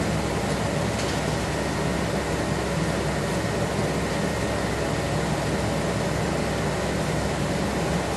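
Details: 1976 Corvette restomod with Holley Sniper EFI, ignition on, engine off, fuses 4 and 5 pulled: loud, steady constant-speed whooshing rush; electric cooling fan runs when it shouldn't, no fuel pressure, cause unconfirmed.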